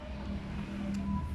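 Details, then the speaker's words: Freezer compressor that clicked on and off, ran hot and wouldn't cool, now started with a direct three-wire hookup and drawing about 1.4 A: steady low hum with no clicking or cutting out; compressor running normally. "nah ini sudah jalan teman-teman ya jadi mesin kompresornya alhamdulillah di sini sudah jalan kan sudah jalan seperti ini"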